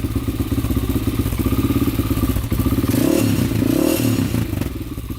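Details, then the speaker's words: 2001 Honda 400EX quad after a new stator, rewiring and re-routing the idle adjuster, with the choke off: single-cylinder thumping at a low, slightly uneven, settled idle with some clatter and a little smoke; normal idle. "well it's idling pretty good it's a little smoky"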